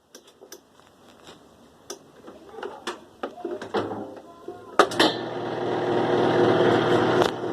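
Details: 2005 Kenmore 70 Series direct-drive washer, reassembled after water pump work, on spin: scattered clicks then a loud rushing whir with rattle as the drum spins up; owner suspects the coupler, cause unconfirmed.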